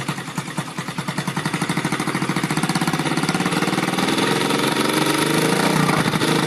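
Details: Rebuilt Yamaha Vega (Crypton) single-cylinder engine with balancer, running on the bench without a frame after a rebored cylinder and a larger carburetor: small rev then quick busy idle with steady clattery ticking from the upper engine, which the builder attributes to the balancer.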